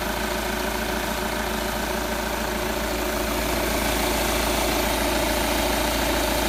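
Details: Audi A4 8K 2.0 TDI diesel at idle: steady, even clatter with a firm regular beat, louder than usual, owner asks if it is too loud; no distinct knock pointing to a cause, cause not confirmed.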